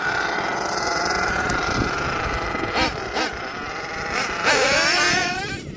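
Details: HPI Savage XL twin nitro monster truck with Twinzilla two-motor kit: two screaming engines with wandering pitch, one surging ahead while the other lags and catches up; motor 2 out of sync, RPMs unmatched, before linkage setting and tuning.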